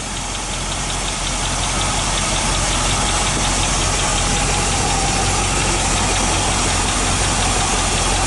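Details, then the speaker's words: 1986 Chevy K10 4x4, 5L V8, first start in 9 years after sitting 14, possibly on old fuel. Light, steady ticking near 170 a minute over a rough idle, heard as a dry lifter or rocker arm; oil pressure is up. "A little bit of lifter. Okay. Well, that's a rocker arm. All these still dry."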